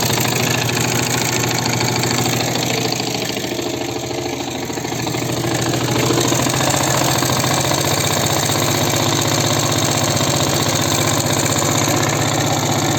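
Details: Viper Active small engine idling: fast, fairly even tapping of about four knocks a second over the exhaust; engine knock, cause unclear.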